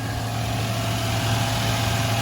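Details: 2000 Toyota Land Cruiser 100 Series 4.7 L V8 idling after starter replacement, injectors not leaking: steady, even low hum with no misses, ticks or knocks; engine idling smoothly and healthily.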